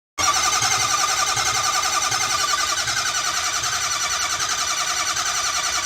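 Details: 6.0 Powerstroke diesel after a full engine rebuild: a long, hard crank with a steady, fast, pulsing whir that keeps going without catching, then the engine suddenly fires on its own just before the key is turned off.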